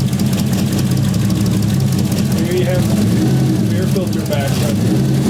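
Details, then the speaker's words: Toyota 1JZ-VVTi swapped into a 240SX idles with an uneven, stumbling beat instead of a smooth six-cylinder hum; one cylinder drops out because its injector connector wasn't seated, and re-seating the plug cured the misfire. "so the car still misfires as we all expected but the headlamps look sick bro so this sound is bad"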